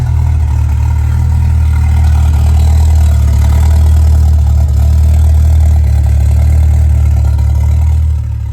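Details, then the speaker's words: 1979 RS Turbo Fox body with 1986 SVO powertrain, cam swap and owner's own startup tune: deep, steady low rumble holding even idle with no misses, stumbles or hunting; settled and healthy. "And it'll just sit there and idle on its own. We even got the own. See, now it sounds like a V8."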